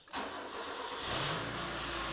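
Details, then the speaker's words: Mazda 121 Demio just after an oil-change service: the starter catches quickly, then the engine settles into a smooth, even idle with no knocks or ticks; normal start and idle. "Ooh. Goddamn. Listen to that thing fucking purr. Ooh. Beautiful."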